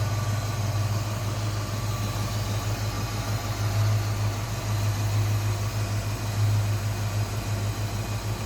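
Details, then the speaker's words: 1966 Ford Mustang convertible with its original C-code 289 V8, power steering and automatic transmission, recorded in the engine bay: deep, even idle with no misses, ticks or knocks; smooth, healthy normal V8 idle. "Not only what you hear, it's what you don't hear. Any noises that shouldn't be there. Smooth runner, good sounding car."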